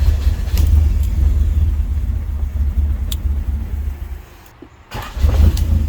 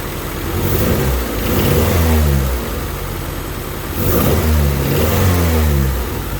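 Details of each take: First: 1988 Honda Civic wagon with a crank-no-start problem, original starter refitted: a deep, steady rumble with one brief dip, then the engine keeps running. Normal start and idle. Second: 1988 Honda Civic wagon after swapping the intake temp sensor and idle air control valve wires (codes 10 and 14): engine runs smoothly, but a loud, raspy, blatty exhaust swells with each throttle blip. Bad exhaust.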